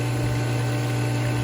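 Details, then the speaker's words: Hayward Power Flo Matrix pool pump (model SP15931TLFP) motor hums loudly at mains pitch but won't start; shaft turns freely, so centrifugal switch likely stuck open; owner fixed it under the center cover. "all right I don't know what I did but I turned it on this morning and it was making a humming noise like the motor won't start"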